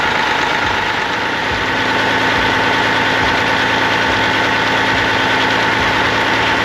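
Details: 1998 Freightliner Classic, Cat 3406E diesel, after replacing injectors and cups (fix for fuel dumping into oil at idle), injectors set at 52.32, fresh oil, 68 psi oil pressure: steady smooth low idle drone, no knocks, misses or rattles; normal idle.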